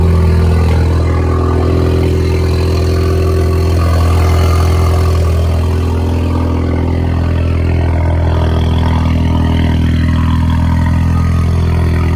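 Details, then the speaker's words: Ford Mustang EcoBoost exhaust leak at startup and idle: a raspy ticking puff riding on the low drone; needs fixing soon. "I actually think it sounds pretty cool but obviously you don't want to continue running your car if you haven't exhaust leak you want to get it fixed as soon as possible"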